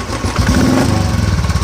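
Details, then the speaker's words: Royal Enfield after fixing a starter (self-start) noise, started on half self: steady deep thump at idle with no ticking, knocking or rattle; noise gone after repair. "Half self में गाड़ी स्टार्ट है और कोई साउंड नहीं है गाड़ी के अंदर।"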